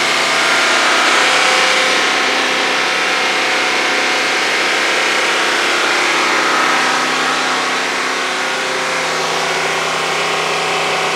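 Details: 2021 Mercedes GT63s AMG after engine rebuild, held stationary at about 3000 rpm for minutes to see whether codes return. It holds a smooth, steady V8 note with no hunting or stumble. The codes did not return: normal running.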